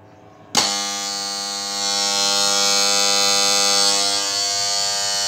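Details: 12 volt contactor for a new power supply, energized: loud, steady mains buzz that cuts in sharply at an even pitch; noisy, louder than a quiet one of the same type, needs more cleaning after being taken apart; cause unconfirmed.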